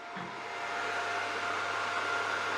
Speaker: How about our wire? Yeah, our wire feed is running.